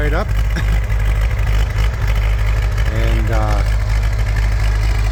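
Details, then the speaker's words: 1974 Bombardier Muskeg tractor, diesel engine completely rebuilt/overhauled, plugged in about an hour before start; deep, steady diesel thrum right after firing, even with no knocks or misses, healthy running. "so completely rebuilt, belongs to the customer. Dad did some engine work there. It's a diesel engine."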